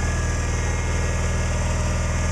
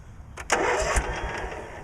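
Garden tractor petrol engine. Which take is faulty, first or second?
second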